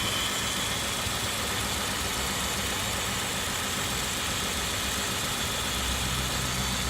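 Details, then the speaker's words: 2003 Kia Sorento at idle: uneven, lumpy idle with irregular low stumble under a strong hiss; codes showed a misfire on cylinder one, caused by a leaking spark plug boot. "all right we got 2003 Kia Sorento the complaint is we got a misfire can you go ahead and and start it"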